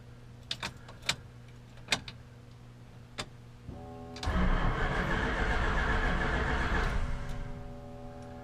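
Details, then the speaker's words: 1966 Chrysler 300 with 383 4-barrel V8 on a newly installed Holley Sniper EFI, first start attempt: a few clicks, then about 2.5 s of steady cranking that never fires; no RPM signal, later traced to the wire on the wrong coil side. "Nope, I'm not getting the RPM reading, dang it. Okay, so I wasn't getting an RPM signal."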